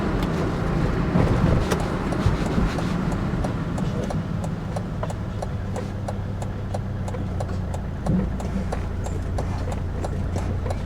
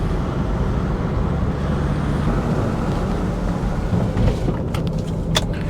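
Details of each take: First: 2003 Volvo XC90 D5 while braking after stripping and cleaning the front calipers: steady diesel drone with no brake creak, pedal feels firmer. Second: 2003 Volvo XC90 D5 driving after front brake strip-down and clean: heavy low road rumble with a steady droning hum from a known worn wheel bearing; some buzz also through the wheel, rear engine mount suspected.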